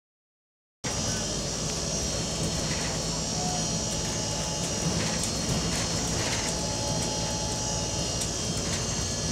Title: GAL E161 Noisy Fan